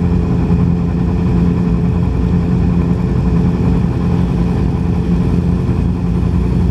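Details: 2010 Yamaha R6 four-cylinder idles with a rough, lumpy low note, misfiring and running on only three cylinders; the cause turned out to be bent valves in cylinder 4.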